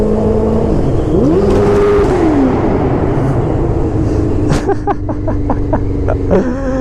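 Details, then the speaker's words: Kawasaki ZX9R motorcycle with carburetors out of sync, loud: sharp rev bombs rising and falling, then a rapid string of crisp machine-gun-like backfire pops on the overrun. "The rev bombs on this bike are magnificent because it sounds like a machine gun."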